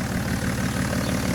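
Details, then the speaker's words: BMW E60 535d, 286 HP M57D30 diesel, in for overheating and excessive coolant pressure: heavy even idle clatter with deep loud drone, steady; louder than stock, suspected to lack a DPF, not confirmed. "w you the car runs. It's a little bit loud, but I guess he doesn't have DPF or stuff like this."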